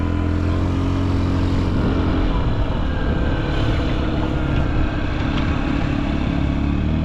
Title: 当時物★ホンダ★ズーマー キャブ車(AF58-1103)★動作確認動画！ エンジン異音無し！ 静かなエンジン音です！2024/09/30パーツyahoo出品予定！